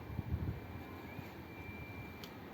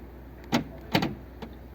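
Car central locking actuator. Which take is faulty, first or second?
second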